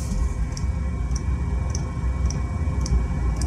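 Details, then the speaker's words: Chinese diesel heater with intermittent shutdowns (pump stops, no errors), after changing the glow plug and motherboard and checking the atomizer: steady low burner rumble with an even tick about twice a second from the pump; running normally. "can you hear the burner lovely sound in it"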